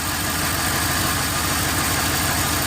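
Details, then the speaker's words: Ford Explorer 4.6L V8 idling with slightly uneven loping beat from a number eight cylinder misfire (P0308); unplugging that coil changes nothing while other coils drop idle, identifying the bad coil for replacement. "if I do one of these up here the idle will change you see that big change in the idle so this is how you find which one is bad"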